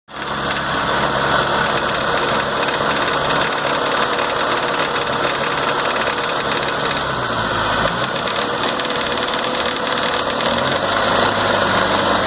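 Steady idle with a fast, loose metallic rattle riding over the engine note, pointing to a worn timing idler gear.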